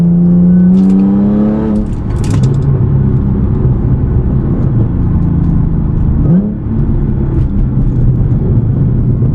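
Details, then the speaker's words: Audi with muffler delete and cat-less downpipes, cruising in 4th gear, heard from the cabin: a deep, loud booming exhaust that swells as revs rise and falls back, with heavy drone while cruising; too loud. "It's just too loud. It's just droning inside. So, it sounds amazing, but it's very loud."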